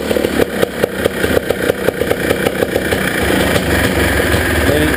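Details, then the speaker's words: Honda Odyssey FL350 after its carburetor was cleaned because the main and slow-speed jets were clogged; fuel is only trickling through the line. About three seconds of uneven starter cranking, then it catches and settles into a steadier idle; started on the first try. "give it a little bit of chat TR on all right it's running it's odling"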